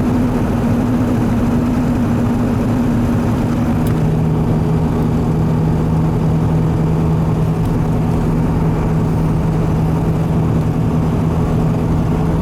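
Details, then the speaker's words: 2002 Ford F250 7.3 Powerstroke diesel, 4R100 automatic, 4x4, about 285,000 miles, worn tires. Steady rotating hum that drops in pitch as the truck slows and is more apparent at low speeds; bad front wheel bearing, and replacing both seemed to cure it. "slow down here again here at a little more low speeds but almost here it all the time too I don't know if the camera's picking that up or not"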